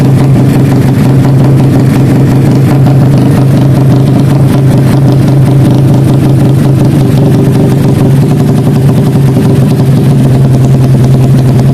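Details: Karisma built to 160 cc with a racing camshaft, PWK 33 carburetor, 29/24 valves and GL CDI: a loud thump at idle with a lopey, stuttering beat. The choppy idle comes from the camshaft.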